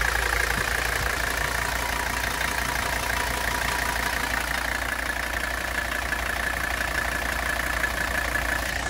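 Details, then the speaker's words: 1985 Mercedes-Benz W123 300D turbo diesel (OM617) just after startup: even, fast diesel clatter at idle with a steady rhythm and no stumbling, "like a sewing machine", with a low exhaust rumble. Normal diesel idle. "we can just hear it it is just purring y'all it is just purring man oh man oh man sounds so good"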